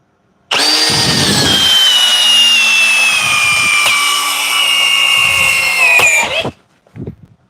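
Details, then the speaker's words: Cordless drill on a fully charged 6 Ah Forge battery in speed one, driving a large fastener fully in: motor whine sags under heavy load with sharp pops; owner suspects something broke. "and I actually think we broke this because you could hear the popping of it but the drill will drive it so all the way in full"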